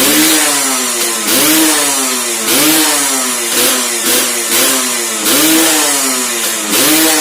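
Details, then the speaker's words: Restored Suzuki Satria two-stroke underbone with ported engine, tuning said okay though stock gearing makes it too aggressive; sharp throttle blips about once a second, note snapping up and dropping back cleanly; normal free revving. "Ini motor sudah hidup lemes suaranya kurang lebih seperti ini Dengerin dulu ya"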